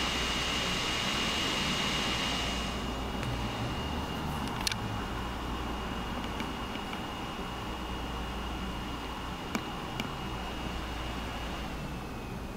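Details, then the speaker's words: Wacom Cintiq Companion 2 running Cinebench under OS X: strong airy rush with a thin high whistle, fan at its highest level, easing a bit after a few seconds; loud cooling fan under heavy load. "so I'm gonna run cinebench now it's kicked up to high gear so you can probably hear it pretty loud"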